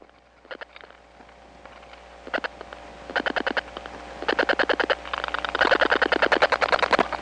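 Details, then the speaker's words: 1979 Atlanta step-by-step phone line after dialing two digits: bursts of sharp clicks at about ten per second in varying groups, growing louder; other subscribers' strong dial pulses leaking between trunks. "this is the sound of other subscribers s dialing away it's being Amplified onto the trunks because this is a step-by-step environment"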